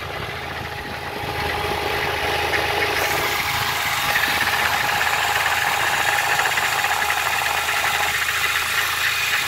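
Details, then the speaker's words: 2004 Mini Cooper 2.0 four-cylinder manual that jumps out of third gear, on ramps: steady rattling, gravelly idle noise from the transmission that stops when the clutch is pressed; third gear suspected, source unconfirmed. "y este le estoy escuchando en un sonido acá en la transmisión que cuando se metros el close se le quita"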